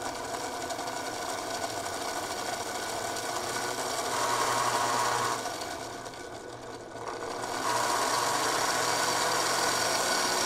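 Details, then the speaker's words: O gauge diesel locomotive (Lionel or K-Line) motor run on the bench after greasing the plastic gears with moly grease: smooth, even motor hum with a light steady whir, no grinding or rattle; sounds much better than before. "All right, before I let this engine run on the track, I'm actually going to run it with a little bit of power in here to get the grease moving in. It might fling a little bit. It already sounds so much better than before."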